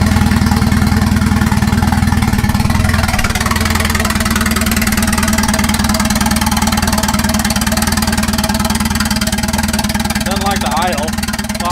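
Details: Turbo wagon on a Microsquirt standalone harness, ignition timing fixed at 10 degrees, no exhaust fitted: steady, even idle with a consistent low drone, no stumbling, music in background; normal idle.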